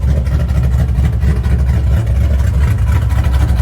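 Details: LS-based V8 shop truck just after a Howard's Rattler cam swap without changing springs, new exhaust, still needing a tune for the cam, warming up; deep, loping idle with an uneven chop about once a second.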